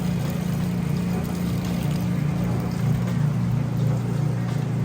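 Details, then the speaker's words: Crosley top-load washer draining at the end of the rinse cycle, super water level setting: loud, steady low drone with faint pulsing as water is pumped out. Smooth, normal drain with no grinding or gurgling. "All right, now we're moving out of the rinse cycle. It's draining that water out."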